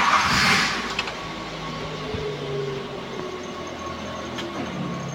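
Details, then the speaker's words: Daihatsu Gran Max pickup 1.5, 2014, with AC and power steering: quiet, even idle with a faint steady AC hum; nothing rough, knocking or squealing; AC blows strong and cold. "Nah untuk kondisi AC semburannya masih kencang dan ac-nya itu masih benar-benar dingin oke tidak ada kendala dan tidak ada masalah"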